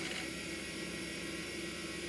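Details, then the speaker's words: 12GB Quantum Bigfoot hard drive in a Compaq Presario 5630 (400MHz Pentium II), booting Windows XP: faint quick head chatter over a steady high whir, the Bigfoot's distinctive sound; normal seek noise from a healthy old drive. "You can hear that. Oh, man. The Bigfoot has a distinctive sound."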